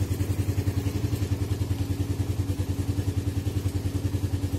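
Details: Suzuki Satria FU single with PE 26 carburetor, cold engine on choke after electric start: steady, even thump around three beats a second, no knocks or misses; healthy cold idle.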